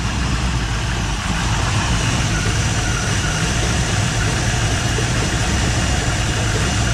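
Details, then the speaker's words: 1958 Chevy Biscayne V8 running after years of neglect, small-diameter open exhaust: steady, even low rumble with no misses or knocks. Normal settled idle. "good again that sounds kind of cool with the inch with the inch diameter exhaust"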